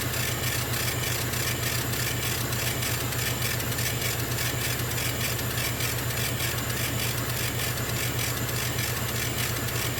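Steady low hum with a quick, even pulse and constant airy hiss: an air assist compressor running normally.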